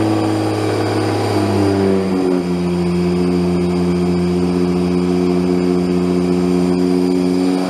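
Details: Newly built engine first running on freshly installed ECU with only basic tune numbers; steady clean hum settling to fast constant idle, no popping; idle too high, stepper idle control motor not yet managed by the new ECU.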